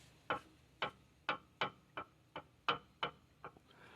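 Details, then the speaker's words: Freshly set-up differential, pinion rocked by hand: light crisp clicks, about ten in four seconds, one per rock, showing small correct ring-and-pinion backlash; gear mesh pattern even in the grease; normal backlash. "It's really hard for you to see, but that sound right there, that little bitty click, is a beautiful sound."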